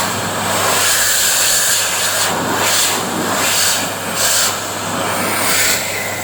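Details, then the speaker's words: Panasonic MC-CJ911 2100 W vacuum cleaner after repair, original motor with worn carbon brushes (bad smell) and broken bearings (strange noise) replaced by new 2000 W motor; steady high airy rush with even hum, no grinding, now running normally. "giờ nó hoạt động tốt. Vấn đề đã được giải quyết,"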